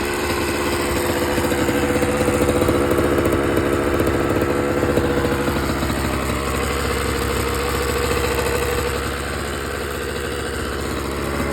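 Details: 2007 Honda CR85RB two-stroke: small dirt bike idling with a busy, rattly clatter over its buzzy exhaust note; source of the engine rattle unknown.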